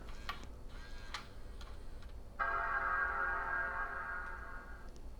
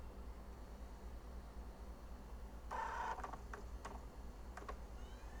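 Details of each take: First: G4 Apple laptop with no hard drive installed: quiet clicks, then one clear chord rings for about two seconds and fades; normal startup chime, screen comes on and looks for an OS. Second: G4 laptop, DVD inserted at power-on: faint clicks and a brief rising whir over a quiet hum as the optical drive spins and seeks but never settles to read; nothing on screen, cause unconfirmed.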